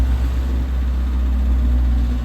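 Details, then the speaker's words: Suzuki APV that kept blowing fuses and wouldn't start, check engine light on: after starting, a steady, even engine hum held at a raised idle with no dips or surging; the idle is too high. "Mataas nga menor. Mataas menor nito."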